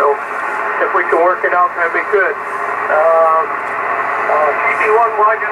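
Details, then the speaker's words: Yaesu FTDX-560 ham transceiver, antenna on 40 meters: clear receiver hiss with voices drifting in and out while tuning; receives stations normally, clarifier works, 25 and 100 kHz calibrator not working. "That the clarifier works, and it does. I can barely hear the other station she's talking to, but that is working."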